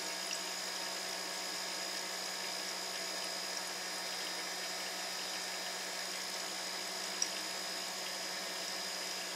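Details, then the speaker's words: Silent air compressor with mineral (baby) oil added, filling an empty tank in about 2 minutes. Before the oil it held only about 40 psi and bypassed. A quiet, even hiss at a steady level with faint oil splashing, no knocks; it pumps up smoothly. "I don't know whether you can hear that or not, but you can just hear the oil splashing around in there. Probably a bit hard to hear it."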